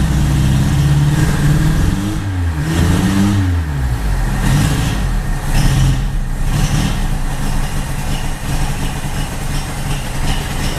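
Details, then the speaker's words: 1980 Honda Accord with a newly installed Weber 32/36 electric-choke carburetor, back running after about 2008. A rev blip, then an uneven, lumpy, galloping idle that hunts; the carb is not yet adjusted. "Alright, a little bit of a gallop at idle here. Still got to set that carb."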